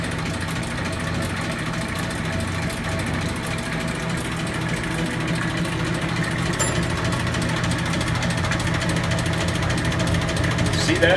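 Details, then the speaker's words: Bowser Century clockface gas pump, nozzle in filler pipe to bottom tank: even motor hum, steady low rumble and faint flow rush, no knocks or grinding; healthy pump. "now I'm going to turn the pump on so we'll idle without pumping here the pump running now that triggered the nozzle"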